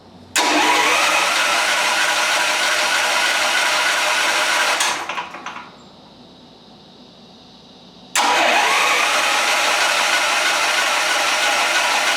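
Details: Onan portable generator (formerly meant for a 1976 GMC Motorhome) running on propane with a battery hooked up, started with the start button: it catches right away and settles into a steady, even buzz. It goes quiet, then fires again cleanly; a normal start.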